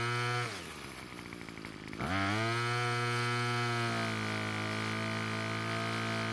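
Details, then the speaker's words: Lawn equipment at spring start-up, starts fine but bogs under full throttle; note sags and stumbles, then screams back to a steady high pitch; L screw turned out about a third of a turn, then H screw richened: lean carburetor. "well it started just fine so I used it for a bit but I didn't make it very far before I started to bog down under full throttle I had to turn the else screw out about a third of a turn"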